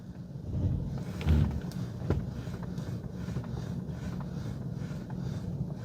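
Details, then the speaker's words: Mercedes W124 after drag link and steering shock replacement to cure knocking on left turns: slow turn with only low road rumble and wind, no clunk, click or knock from front linkage; steering tight and normal. "steering feels good no clicking noise or knocking however however you want to describe it"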